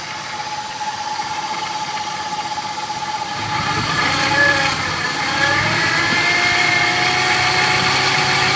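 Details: 2000 Ford F-150 5.4L V8 idling then revving, with a thin steady high whine rising with revs; source of the whine unknown.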